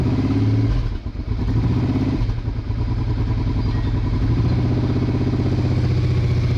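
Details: Late-80s Honda Bros/Hawk GT 650 V-twin motorcycle after fuel tap turned on: lumpy but even beat, briefly seems to run on one cylinder, then settles into a steady idle on both; running normally.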